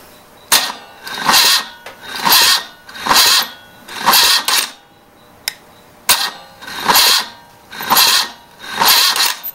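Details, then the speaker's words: 1974 BMW R90/6 starter cleaned and jumped directly at solenoid with a new car battery, bypassing the relay, whirring in sluggish labouring surges about once a second; slow cranking, same with bike battery, bad starter suspected. "okay that's the exact same result I get with the battery I had in the bike which is this guy which is a little undersized for what the uh uh specs and the manual show but anyways I think we're looking at what's got to be a bad starter I don't know what else it is"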